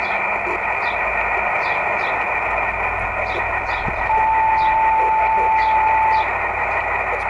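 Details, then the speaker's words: Yaesu FT-817 radio with SARCTRAC Mk2 satellite antenna rotator controller/tracker, receiving a Chinese Oscar satellite beacon: a thin, steady tone rises over steady receiver hiss for a couple of seconds; normal satellite beacon reception. "picking it up. You can hear the beacon right there."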